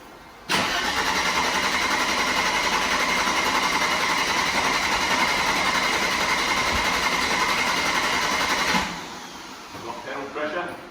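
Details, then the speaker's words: Mercedes W124 started hot after cranking spell, then steady idle; hard hot start, owner suspects leaking fuel injectors or failed accumulator, not yet diagnosed; car has a rebuilt fuel distributor. "So now I get to enjoy starting my 124 with presumably either leaking fuel injectors or a failed accumulator, because it's rather difficult to start now when it's hot."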